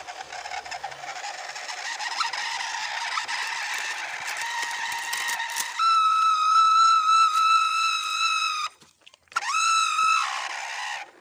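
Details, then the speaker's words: MN99S 4x4 RC car off-roading in a palm plantation, right after driving through water and mud: piercing loud high motor whine rising and dropping with speed; owner suspects mud entered the motor, damaging it or its gears. "Dan tiba-tiba saja setelah melewati gubangan air dan lumpur, dinamo mesin mobil gue itu berbunyi sangat nyaring ya guys ya. Jadi dinamonya tuh berbunyi gitu, kayak knalpot racing gitu. Berbunyi itu sangat keras dan bikin nyilu ya."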